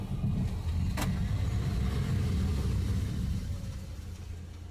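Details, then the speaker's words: Maruti Suzuki Ritz with a rear-right noise when braking: with the brakes opened and checked and the drums swapped to test for wheel bearing noise, only steady engine and road rumble as it rolls and slows, no scrape or squeal; no brake noise found. "Sound കിട്ടുന്നില്ല. Drum മാറിയപ്പോൾ നോക്കിയോട്ട്"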